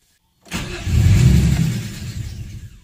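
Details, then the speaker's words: VQ35DE engine (G35/350Z) stalls after warming up: it catches, runs briefly, then sags and dies within two seconds. An idle relearn did not fix it. "so if you're watching the last video I'm sure you will see that I was having issues with the car stalling on me"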